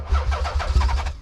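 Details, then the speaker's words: Nissan 300ZX (92) with a swapped twin-turbo engine, just after the igniter was plugged in: quick, even cranking pulses, then it catches and fires with some persuasion; normal start. "Ooh. Fired right up. I mean, yeah, I had to give it some persuasion."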